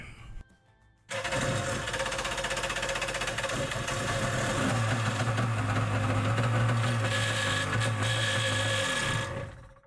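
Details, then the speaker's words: Yamaha Superjet stand-up jet ski: harsh, fast raspy grinding at about four per second; the starter bendix was missing its return spring and washers, so it sat against the back of the flywheel and ground. "so it would make a really nasty noise if you leave out that spring it's just gonna sit on the back of the flywheel and grind"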